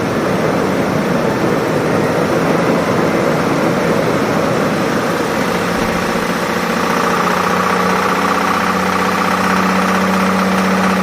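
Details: Toyota Tundra 1GR-FE 4.0L V6 running before engine removal: loud steady running with rough, uneven churning and rattle underneath and a hum building later; abnormal engine noise, bad engine sound.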